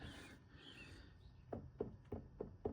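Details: Suzuki V-Strom 800DE at about 18,000 km on a stand, front wheel hand-spun: dry rough click about three times a second, once per turn. Complete front wheel bearing failure (crunchy); owner suspects a shim was missed at the tire change.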